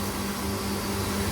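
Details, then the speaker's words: Ajanta home flour mill, about five to six years old, grinding about 3 kg of sorghum mixed with rice: steady even motor hum, constant low drone, no knocks or surges; normal grinding. "आणि हा आवाज येतोय थोडा थोडा तुम्हाला तसाच आवाज continuously दळण होत असताना येतो"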